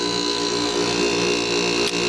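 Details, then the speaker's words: Old Fedders Airtemp 5100 BTU air conditioner, Rotorex compressor: loud steady hum with buzzing vibration, no knocking; owner suspects missing rubber mounts, believes compressor not actually bad. "i really think if it was on rubber mounts like it's supposed to be"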